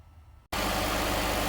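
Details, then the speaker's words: Direct-injection Cadillac just after thermostat replacement and coolant top-off, air still purging: quiet start, then steady even idle with smooth low hum, no knocks or misses; engine runs cleanly, later road test normal temperature. "All right, she's up and running. Just going to let her purge out a little bit of air that's left in there."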